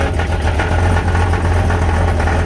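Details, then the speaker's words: Summit Racing SUM-631125-XL steel oval 2.5in-inlet turbo mufflers; deep steady idle rumble with loose buzzy rattle heard from under the vehicle, muffler internals come apart inside; mufflers being warranted and replaced. "so can you hear that rattling if you get under here internal mufflers come apart inside"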